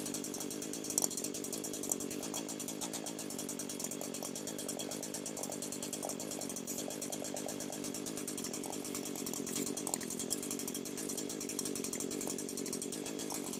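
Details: Echo SRM 225 two-stroke string trimmer that wouldn't start, oil-leaking after a shop repair, in a no-tools crankcase air-leak check; steady high-speed buzz with no dips or hunting, no appreciable RPM drop, so no air leaks found.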